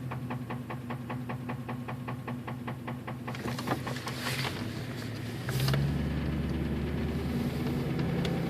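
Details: 1999 Ford Crown Victoria Police Interceptor V8: a regular light tapping at idle that blurs into the note as rpm rises, worst at high rpm and began after a catalytic converter check-engine light with low oil; cause unknown.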